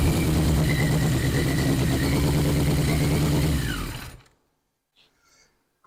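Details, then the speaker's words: 1981 Yamaha Maxim XJ650 four-cylinder, not run for 20 years, just brought back: busy, slightly uneven idle burble for four seconds, then shut off. Runs fine, though carb diaphragms are still to do. "well there you go me and Abram have successfully got this bike running that hasn't ran or been on the road for 20 years"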